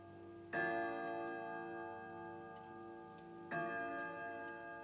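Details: Grandfather clock striking at 12 o'clock: two clear bell strikes about three seconds apart, each ringing out cleanly and evenly. The striking works normally.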